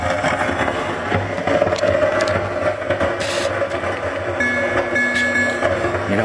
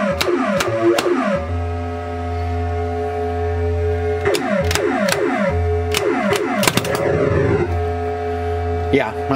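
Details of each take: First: 1980 Williams Scorpion pinball, volume turned fully down: game tones with low hum and crackles persist. Original sound board faulty; a bad amp is suspected. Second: 1980 Williams Scorpion pinball with a new replacement sound board fitted: clean synthesized sweeps and tones over a steady low hum, no crackle or pops. Normal sound output.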